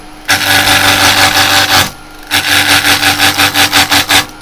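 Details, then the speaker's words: Woodturning lathe, cutting above center on a blank with an overhanging section: scraping cut noise in bursts, pulsing several times a second as the tool hits the overhang, causing an interrupted cut. "you can hear it gives a big break cuz you got a bit of an overhang. So, just take it easy."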